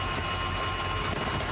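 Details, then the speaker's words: Scherer Sport No. 16 Porsche SP9 GT car in Nürburgring 24h 2025 qualifying, stopped after a third of a lap and being recovered: a fast, steady metallic rattle runs constantly over the engine drone and is getting worse. Cause unknown. "well, that's the background rattling noise you can hear. That doesn't sound very nice, but it only made a third of a lap before it needs to be recovered."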